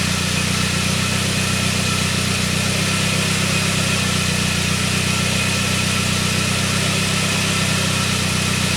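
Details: 1999 Saab 9-3 after its crank-no-start was fixed; steady, even idle with no misses, knocks or hunting; it is running properly again.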